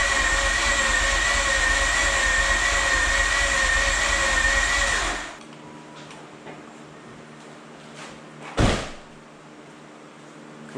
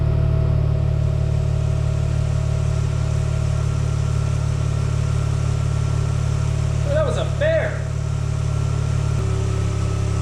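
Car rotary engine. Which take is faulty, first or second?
first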